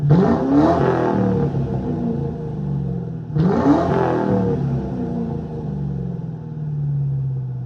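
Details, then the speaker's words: 2003 Ford Mustang GT, hood open, warm after a drive, following new MSD coils and spark plugs that cured a misfire: two clean blips climb smoothly and fall back to steady idle, no stumbling or misfire; healthy. "runs very healthy now very healthy I'mma put you up give you some revs"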